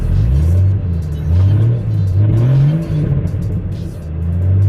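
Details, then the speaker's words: Jeep running badly on the codes it threw: revs rise and sag unevenly on each throttle blip, bogging and nearly dying instead of pulling cleanly; owner suspects the PCM or throttle position sensor, not confirmed. "keep bouncing off the gas and you guys can hear it it it's just dying"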